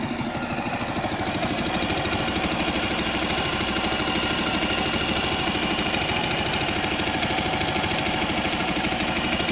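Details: Viper Active motorcycle engine after fixing a knock caused by broken dampers, running without muffler: loud raw unmuffled idle with quick even firing pulses, no knock; normal idle.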